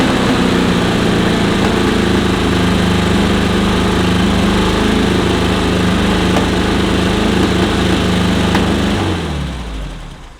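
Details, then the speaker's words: VW Type 1-engined sand rail on its first start after a dead battery: a fast, steady idle held well above normal tickover for several seconds, then it winds down and stops; the idle is set too high. "Starts up and runs. I barely hit the button. The idle's way higher than it needs to be."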